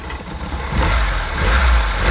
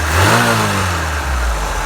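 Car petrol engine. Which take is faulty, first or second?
first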